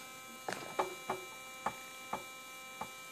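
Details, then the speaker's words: Keithley 104 wideband amplifier on the bench: low steady mains-type buzz with a few stray clicks; source not found, owner thinks it may be normal, not a failing capacitor, possibly a transistor. "it doesn't sound like it's a thank you it's a cap canary to blow up that sounds like a normal something that's that's the normal noise it makes"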